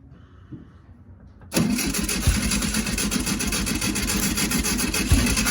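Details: 1965 VW Beetle that sat in a garage a long time, after no fuel reaching filter and carb float possibly stuck and tapped: short crank, catches and settles into steady even idle.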